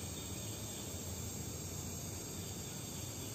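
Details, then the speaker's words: Oxy-acetylene welding torch burning a neutral flame with a blue inner cone and a fairly long orange outer flame: an even, unbroken roaring hiss with no popping or sputter; normal neutral flame. "Hai ini adalah api Netral"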